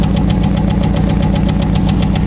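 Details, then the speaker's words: Chevrolet Cavalier engine idling with a sharp, regular tick about eight per second from the front of the engine; it runs fine otherwise, and the owner suspects worn hydraulic lifters and plans to replace them. The muffler also needs fixing. "everybody seems to be running fine it's just the uh the ticking in the front and I'm going to replace those those uh lifters so it'll be"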